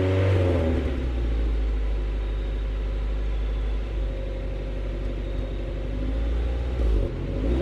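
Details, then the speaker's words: Swapped Honda H22A in 5th-gen Prelude race car, after ignition work on plugs and wires: deep steady note climbing smoothly when revved, no stumble; misfire fixed, faulty valve cover gasket still to repair. "so there we have it folks we fixed the misfire problem"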